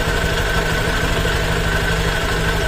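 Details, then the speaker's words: Honda Click version 3 CVT after cleaning, with the cover back on. Steady, even idle hum with a faint belt whir and no creaking or rasping, so it is quiet now. Noise may return after days or weeks, which is described as normal. "o naman po tunog nating CBT ag meron na po siyang clank cover po ba tahimik"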